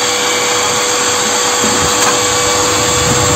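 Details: Homemade waste-oil stove made from a 100 L gas cylinder, with a closed pyrolysis chamber. The flame turns blue almost at once. A steady high-pitched blower roar with an even rush and no surging; normal blower operation.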